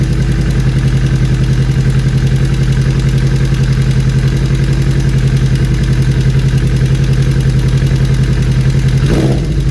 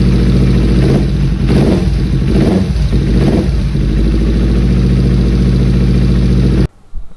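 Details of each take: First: 2013 Kawasaki Ninja 250 Fi (EX250-L), 250cc fuel-injected four-stroke twin, 40,000+ km: at idle, rough loose irregular metallic tak-tak clatter not following throttle, worst stopped at red lights; cam chain rattle from weak tensioner. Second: 2013 Kawasaki Ninja 250 FI (EX250-L) twin, about 40,000 km, idling with a steady low hum and no cam chain rattle after fixing a weak cam chain tensioner, then cuts off; normal idle.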